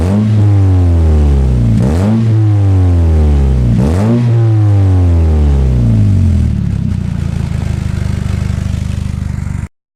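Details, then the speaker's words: Warmed-up car (Yaris build) with a newly fitted exhaust; revs rise and fall twice, then hold high with a raspy, chuffing edge as the exhaust blows at a cracked aluminium weld. Exhaust leak. "it does sound proper mad now it's all warmed up we've already collected we've already cracked the aluminium world so it does blow annoyingly but my god you don't notice it when you're driving along"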